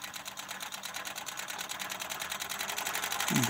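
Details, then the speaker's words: Ciné Kodak Model A 16mm movie camera, partly torn down, hand crank at full speed driving sprocket, flywheel shutter, take-up reel and footage counter: fast, even clicking about three per second, no catches or skips; healthy mechanism. "okay through this gear Arrangement and spring yeah it drives the take up reel and through this worm gear arrangement it moves very slowly the footage counter"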